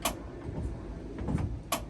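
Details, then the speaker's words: 1974 Toyota Celica steering column: two sharp clicks/clunks when turning the wheel one way, after the bushing adapter was hammered in too hard; owner suspects the column mechanism, cause unconfirmed. "and now it's making some really odd noises. And here, check this out. So whenever I turn that way, it kind of,"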